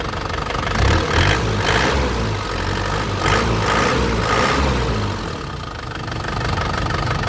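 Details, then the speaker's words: 2010 Isuzu Panther LV Turbo diesel, dry turbo with no oil seepage, engine never opened, started first try: steady even crisp diesel clatter at idle with no odd knocks; healthy normal idle. "mendengar suaranya mesin ini masih kempol masih renyah renyah khas Panther ya suaranya masih enak lembut ya"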